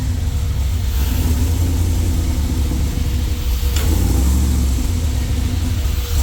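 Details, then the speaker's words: Jeep with freshly rebuilt LS V8 (forged internals, higher compression, new cam), coming off cold start at 50 psi oil pressure: heavy, uneven lumpy idle because the tune is not yet set for the new cam. "It's not tuned yet for this cam."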